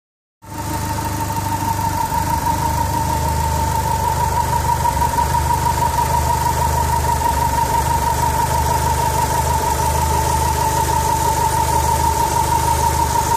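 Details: 4G63 engine from a 2G AWD DSM at idle: thin constant whistle and a light regular beat near three per second, noise seemingly coming mostly from the turbo area; abnormal noise, source unconfirmed.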